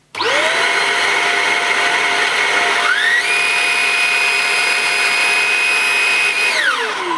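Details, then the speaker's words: Shark Rocket corded handheld vacuum, new, power nozzle switched from brush setting one to setting two for carpets: whine steps up sharply as the brush motor kicks in at higher speed, then winds down smoothly; normal operation. "can really hear the motor kicking in when you flick it onto setting two"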